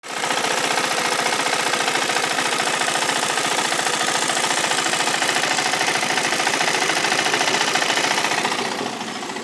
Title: Is this ticking sound a problem of my Duke 390 bs6?